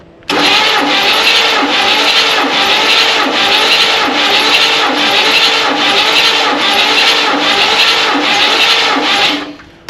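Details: 1967 Buick Riviera engine, unstarted for over 20 years, cranking with plugs out during a compression test (about 90–100 psi). The starter spins it at an even beat, about 100 per minute, for nine seconds with no dragging or clunks; cranking is healthy.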